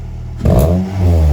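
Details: Ford Fiesta ST150 freshly fitted with a Toyosport stainless non-resonated 200-cell high-flow sports cat exhaust: engine catches and settles into a loud deep even burble with a quick rev blip; normal start-up with sports exhaust.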